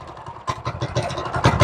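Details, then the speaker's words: Restored 1970 MTD minibike, brand-new engine just started cold on full choke: small single fires in uneven, lumpy bursts rising and falling; normal cold running. "Oh, she's still pretty cold."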